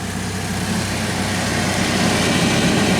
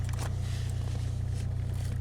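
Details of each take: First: Saab blower motor after being freed from ice jamming: fan spools up to a steady, even rushing hum with no rattle or scraping, now spinning freely. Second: Saab heater blower motor on a cold January day, with a previously replaced resistor: a low, pulsing, straining hum that never spins up. The motor is seized after making a noise; it was found soaked with water, and ice or water is suspected.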